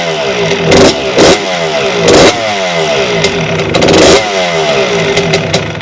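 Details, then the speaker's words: 1992 Suzuki RM125 two-stroke dirt bike, first start after a five-month rebuild with the carburetor newly installed: sharp throttle blips, revs snapping up and dropping back cleanly each time; crisp and eager, normal revving. "it sounds good it sounds really good hi I definitely need to race the idol whoo all right it sounds it sounds amazing"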